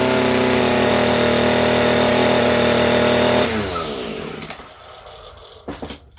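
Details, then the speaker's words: Echo SRM-230 two-stroke string trimmer, unused for years, first start after carburetor replacement, on choke: a steady high buzzing note runs smoothly about three seconds, then winds down; carb adjustment still needed. "Alright, so you can see it worked, man. It turned on. That's crazy."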